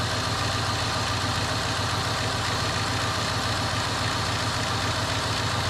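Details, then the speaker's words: 2001 Cadillac DeVille cold start after new starter: even, steady idle at slightly raised cold-start speed, no knocks, misses or squeals; sounds healthy, owner says it feels good. "come on baby sounds good all right see i've got the power oh good sounds good it feels good"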